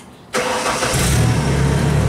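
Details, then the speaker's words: Genie boom lift on a cold site, restart at 12.6 V battery: quick crank catches at once and settles to a steady, even idle, voltage back up to 13.6 V; normal start and idle. "fine no problems back up to 13.6"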